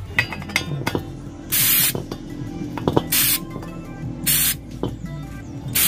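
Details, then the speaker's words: LPG cylinder regulator being fitted to a gas cylinder for a stove: sharp, steady hissing bursts as gas escapes at the regulator fitting; the connection is leaking. "ketika ingin saya pasangkan pada bagian regulatornya, ternyata di bagian sebelah sininya bocor alias ngeses itu teman-teman."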